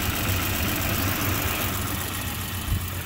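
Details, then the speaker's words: 1992 Volvo 240, neglected and sitting, after new in-tank and external fuel pumps, fuel filter, plugs, wires, radiator, water pump and timing set: steady, even idle with soft low rumble, no misfire or knock; running great, no issues. "but as of now it's been running great no real issues"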